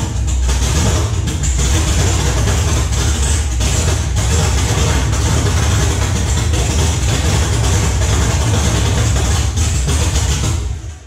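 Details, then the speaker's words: 1969 Camaro with swapped LS3 V8 on a Holley ECU and startup tune, first start at night with open headers: loud, lumpy idle held up with a little throttle; firing on all eight, all eight primaries warm, owner thinks tune needs adjustment. "all right i think we're firing on all weight i had to use the gas a little bit right there to get it to to idle but uh that definitely sounded like it was running on all eight and all eight primaries are warm"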